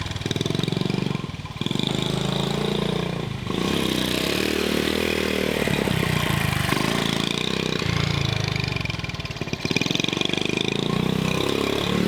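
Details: Honda CT70 mini bike, long-sitting garage find, exhaust pipe rusted in half and cut down: small single pops loud and raw at idle with uneven dips in speed; rasp from the shortened, open exhaust, new pipe planned.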